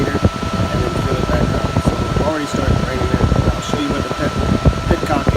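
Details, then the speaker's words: 2004 Honda CR-V, engine off, key on with AC switched on to test fans after an alternator change left fans not working and overheating: steady whooshing fan roar, both cooling fans spinning; fan temperature switch to be replaced. "okay you can hear it blowing now let's go check which gives you angling they're spinning that's the AC fan there"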